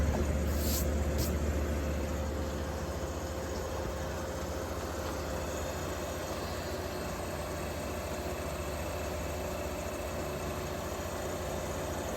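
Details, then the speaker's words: 1953 Fedders Weather Bureau room air conditioner with Tecumseh S-type 1/3 hp R12 compressor, after electrical upgrade and service, blowing cold; steady even low hum with faint constant tone, no knocks or rattles; normal compressor running. "I said, I do believe the S is my favorite compressor. It sounds so good. Yep. R12, 1/3 horse."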